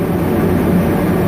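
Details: Dyna-Glo Delux 135,000 BTU diesel/kerosene forced-air heater, first run after unboxing with a freshly filled 10-gallon tank. A steady, even roar with a low rumble and no surging, sputtering or knocking; burning cleanly. Normal running.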